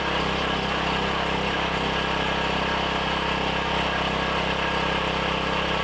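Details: Briggs & Stratton 7,350 W surge / 5,250 W generator after replacement carb, custom air filter and tune-up, throttle roughly set with no load: steady, even single-cylinder drone at constant speed, no hunting or surging; normal running.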